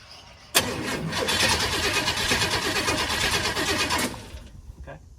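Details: Big-block Chevrolet El Camino, long-sitting, hot-wired with push-button starter after wiring faults: about three and a half seconds of steady rapid cranking with no firing; cranks but won't start, possibly out of fuel as gas gauge doesn't work, not confirmed.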